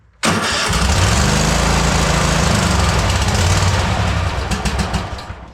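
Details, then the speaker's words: Cub Cadet Super LT 1550 Kohler engine during carburetor work: it runs rough, with speed hunting up and down as if the governor were unattached, wants full choke and then dies. Engine surging, cause unconfirmed. "All right, while it's running it absolutely terribly, it's like surging like the governor's not attached."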